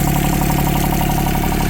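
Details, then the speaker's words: Yanmar 3TNV70 three-cylinder diesel (ex-JD Gator) just swapped into a CAT 300.9 mini excavator, idling at about 65°F: even quick clatter, no missed beats or knock, real quiet, no smoke; healthy idle. "But yeah, sounds good. No smoke. Yeah, it's running good. Real quiet."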